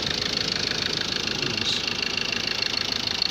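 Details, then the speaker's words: Ford Ranger 2.2 TDCI diesel idling after engine and gearbox rebuild, before road test; even idle with steady fast tick, no shaking, miss or knock; normal healthy idle. "ይሄን ይመስላል። ይኸው ምንም ነገር አይንቀጠቀጥም። ተመልከቱት። ድምፁ ራሱ በጣም ያምራል።"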